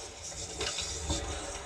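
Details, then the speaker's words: Hot water heater annual service, testing top-mounted emergency temperature/pressure relief valve: steady hissing rush of hot water discharging freely with no sputter; valve works normally, drain line to be checked. "You can hear the water flowing out. Then you can chase this pipe to wherever it drains and make sure it's actually draining water."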